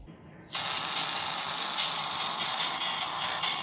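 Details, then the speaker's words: Laptop speakers, found after a motherboard repair: playback sounds harsh, crackly and tinny, with no bass and buzzing over everything. Both speaker cones are torn at their edges, causing the distortion. "Di sini saya menemukan masalah baru, yaitu suara speaker laptop ini ternyata sudah terdengar pecah."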